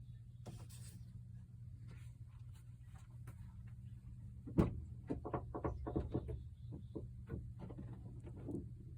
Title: 15 GMC Sierra 5.3 misfire #7